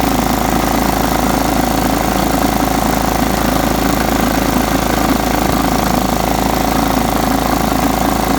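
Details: John Deere STX 38 riding mower, revived with a new battery: steady, even single-cylinder run at constant speed, no misses, knocks or surging; normal running.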